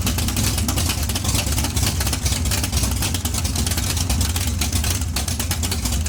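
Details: Big-block Chevy 454 in barn-find T-bucket hot rod, both exhaust tubes removed: raw throaty idle on open headers with rapid even pulses and heavy low rumble; healthy V8, normal idle.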